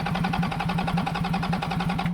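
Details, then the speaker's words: Toyota 1HD-FTE diesel, flood-affected HDJ100 Land Cruiser, cranking with ignition off: about nine to ten even compression pulses a second, much more consistent than before; stuck rings suspected rather than bent rod; compression improving. "that's definitely better that might that's way better that might suggest more likely it's stuck Rings"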